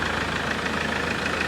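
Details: Mahindra Scorpio pickup diesel after the MAP sensor and intake pipe were refitted to fix power loss; engine cover off. Steady, even idle with a smooth low rumble and no knocks, misses or rattles; running cleanly.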